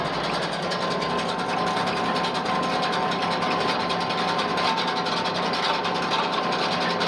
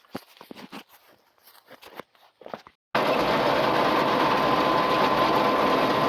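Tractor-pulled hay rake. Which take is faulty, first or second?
first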